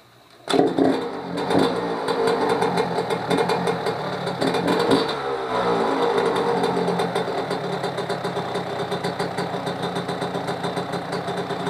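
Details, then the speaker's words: Yamaha YZ125 two-stroke first start after rebuild with new top end/cylinder and fork seals, fires after two kicks and settles into a crisp, even idle with light blips, no misfire or rattle; healthy running, reportedly more power than the last rebuild. "Yeah, to me it sounds pretty [ __ ] good. I guess it has a lot more power from the last rebuild."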